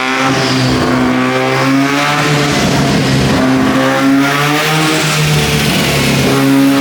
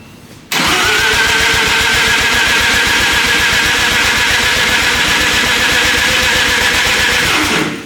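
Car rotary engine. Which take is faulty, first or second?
second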